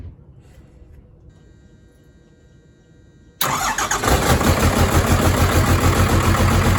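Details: Truck with a new pump, after cracking and bleeding all three injector lines to clear air: the starter catches and the diesel settles into an even, steady idle with no misses.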